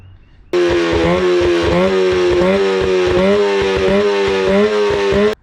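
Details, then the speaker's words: 25HP Mercury two-stroke outboard, low hours, sat four years, after fuel system and carburetor cleaning: starts cleanly, holds an even fast burble with good water flow and no stumbling; running normally, idle slightly high from earlier adjustment. "Yeah, we got very good water flow right now. I mean, the engine is running same as it came out of the factory, guys."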